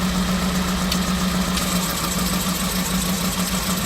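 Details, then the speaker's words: Piaggio Porter with Daihatsu Hijet 1.3 EFI 16V engine, check-engine light on: rough, lumpy idle worsening to really rough when the lights are switched on; misfire on cylinder 4, wiring suspected. "and when I turn the lights on it starts running really really rough"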